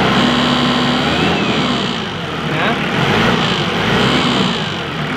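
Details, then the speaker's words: 5-ton diesel forklift that kept stalling while driving, after the faulty fuel pump was swapped and reversed pipes corrected: steady clatter climbing evenly with throttle, no sharp ticking as with the old pump; normal revving, old pump confirmed bad. "Dengar normal teman-teman ya tidak bunyi berisik seperti yang kita temukan di pompa inias kita pasang"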